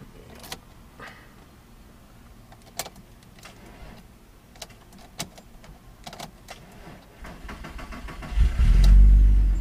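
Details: 2000s VW Jetta MK4 VR6 gives several isolated clicks with no cranking and behaves as if it has no power, then after several attempts suddenly starts and runs; an intermittent no-crank of unknown cause, and the owner suspected the starter.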